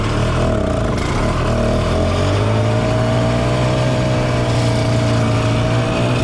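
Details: 1967 Ski-Doo Alpine twin-track snowmobile, revived after sitting many years, running on its own fuel on a 75° day: crisp, even two-stroke buzz at steady pitch with a slight rise, no misfires or knocks; healthy normal running.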